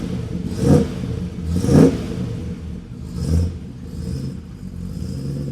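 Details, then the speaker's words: Rebuilt 1975 Land Rover Series III V8, running on choke after fitting a new performance exhaust: deep, even burble with crisp throttle blips rising and falling cleanly, no knocks or misses; engine running healthy. "So, the only thing to do now, let's fire it up and see how it sounds."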